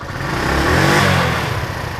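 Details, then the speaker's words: Land speed motorcycle sidecar racer after a carb rebuild; the carb was bone dry and its diaphragm may need lube. It runs OK and slightly better, but stumbles and sputters near the top when revved, then returns to idle; cause unconfirmed. "it it breaks up. Actually, that's running a bit better. It breaks up a little bit uh when you rev it."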